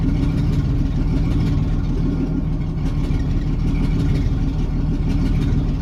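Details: 1987 Jeep Cherokee Renix 4.0 at idle: low rumble stumbling with uneven lumpy beat, misfire; cylinder 6 exhaust rocker moving less, sticking valve or bad lifter; loosening that rocker bolt made it run smooth with a slight tick.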